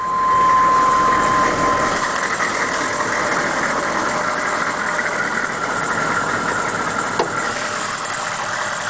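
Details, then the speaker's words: 1998 GMC school bus with the 6.5 GM diesel at 209,000 miles and many new parts: a steady, even idle with no knocks, misses or surging, just a constant hissy rumble; starts right up and sounds healthy. "It runs great, has a lot of new parts on it, has 209,000, starts right up."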